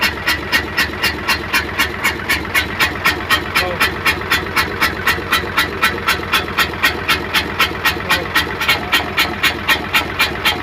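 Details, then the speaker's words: Hino Euro six-cylinder diesel truck, misfiring and smoking, heard from the exhaust side after checks: sharp, steady chuff about four times a second over the idle. "आवाज अभी भी आ रही है और छुप-छुप कि आवाज आ रही है जैसे सीटों की आवाज होती है"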